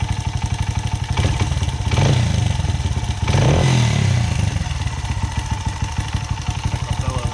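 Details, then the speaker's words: Honda CRF80F single-cylinder dirt bike idling after valve adjustment: even steady putter with two brief throttle blips; the slight remaining noise is judged normal. Normal idle. "That little bit of noise must be normal. Yeah, that sounds normal."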